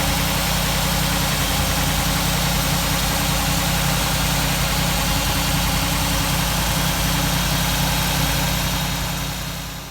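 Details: 1947 Ford street rod V8 idling after the intake manifold and distributor were reinstalled and a leaking water neck gasket was replaced; steady, even idle with a smooth low rumble and no knocks, ticks or stumbles. It sounds healthy.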